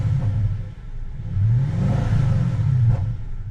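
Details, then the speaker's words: Audi S5 4.2 V8 after reinstalling the air intake with new gaskets to fix a misfire: crisp, clean rev from idle and back with even firing, no stumble, and misfire counters stay at zero. Normal rev, misfire fixed. "It's working. Oh, that's amazing. Oh, that's a relief. [laughter] Oh, I'm so pleased. She's purring like a kitten."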